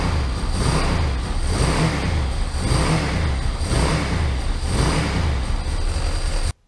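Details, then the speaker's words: 2003 Ducati ST2, 944cc water-cooled 2-valve V-twin, knocked over and left outside, idling: steady low chatter pulsing about once a second from clutch side; owner suspects clutch pack bearing or cush drives, possibly case main bearing. "as you can hear, there is a problem with this clutch. Now it could be the bearing within the clutch itself or the cush drives that have gone, or it could be the main bearing that sits as part of the case."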